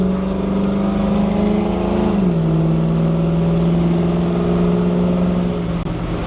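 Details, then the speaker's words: 1984 Chevrolet squarebody with LS swap on full-throttle pull: steady hard drone suddenly drops in pitch and slowly climbs back, engine laying over and bogging; suspected pulled fueling or timing, unconfirmed. "you could literally hear it lay over uh and just bog down almost like it pulled either fueling or timing can't really tell"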